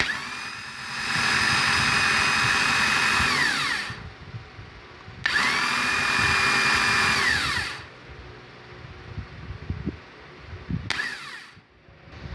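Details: VW Gol starter motor fault: two long, high whirring bursts from the starter that wind down each time without the engine catching; noise when cranking, starter suspect.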